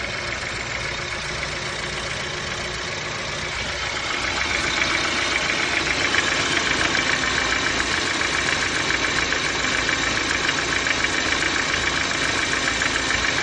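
Steady idle with a light, fairly regular tapping riding on top, roughly three or four per second; a knock at idle, cause not yet found.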